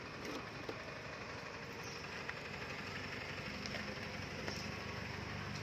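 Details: Honda Wave 110i fuel-injected, kick-start motorcycle starting easily without throttle and settling into a smooth, even idle with a steady pulse and no knocks or misses. It's a healthy engine.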